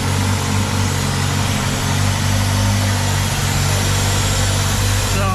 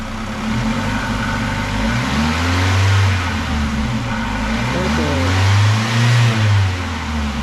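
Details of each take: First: 2000 Ford Contour 2.0 after intake gasket replacement, rough idle under load worsening for weeks; steady low idle with a faint airy hiss, injector 2/3 area suspected, later traced to a cracked PCV hose; vacuum leak. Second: 2000 Ford Contour 2.0 after intake gaskets and cracked vacuum hose repair: steady low engine note swells smoothly on two even revs and settles, no misfire or hiss; engine healthy.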